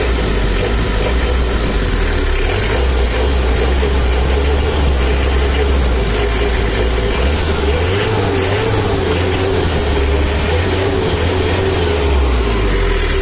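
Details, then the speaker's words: New factory-standard Mitsubishi L300 diesel after injection pump adjustment for more power: dry even clatter at idle with quick responsive throttle blips; normal diesel idle after tuning. "jalur ini adalah hasilnya setelah kita setel suaranya udah agak kering nah ini kering suaranya gasnya pun juga responsif dan lebih Abdul Rashid lebih cepat naik"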